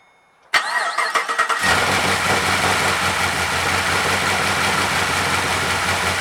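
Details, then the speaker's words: 2012 Chevy Caprice PPV 6.0 V8 after repairing damaged camshaft position sensor wires (codes P0340, P0341, startup issues): a few quick cranks, catches cleanly and settles into a steady even idle with no misses or knocks. "okay start it up and it's running fine"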